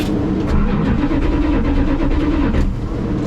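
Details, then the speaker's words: 1985 Dodge D150 after replacing bad ignition switch: starter turns engine over with even steady chug, no clicks or hesitation; normal cranking. "I had a bad switch so that's lovely that confirms my thing plus now we have heat it doesn't seem to be adjusting that's what what I've been trying to tell everyone so you heard it you heard it crank over"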